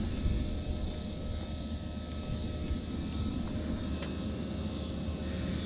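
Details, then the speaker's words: Planar 44D diesel heater in a portable Alubox, running full power in summer, recorded down at the unit: steady, even roar with a constant fan whine on top, no misses or surges; running normally. "okay i know this isn't a proper test because it's the middle of summer out here but this is what it's like when it's running full bore this is the amount of noise you get down here at the unit"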